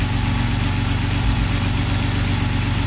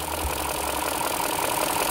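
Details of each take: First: BMW E60 M54 or E53 M62 with LPG and a sporadic misfire traced to a poor contact at the original Stag gas connector plug. After the fix: deep, steady idle with no stumbles while the wiring is wiggled. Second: BMW (E60 M54 or E53 M62 per title) with an intermittent misfire at idle: idle runs unevenly with occasional dropped beats. Injector connectors are loose or unplugged, suspected on cylinders 7 and 8, and the plugs lose contact.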